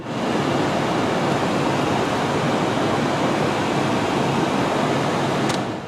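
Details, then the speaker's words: 2001 Nissan Sentra heater blower on high speed, after blowing acorns and debris out of the blower housing that caused vibration: steady, even rush of air with no wobble or rhythmic shake; blower now running smoothly. "Let's see what it sounds like now. Ooh, much smoother."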